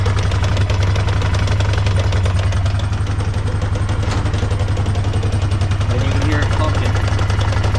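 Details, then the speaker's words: 2008 Honda Foreman 500 ATV idling, shifted from neutral into first gear: uneven thudding about three or four a second; something stripped in the rear driveline, ring gear fine, a U-joint suspected, not confirmed. "That's right, we stripped something in the rear end, or going to the rear end."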